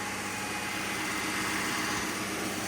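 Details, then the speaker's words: Rebuilt Jeep engine during break-in, held at 2,000 RPM after a replacement belt was fitted: steady, even hum with no knock, tick or miss; engine running normally at fast idle. "Well, after that whole debacle, we're going to run into three more minutes of 2,000 RPMs. It's sounding really good."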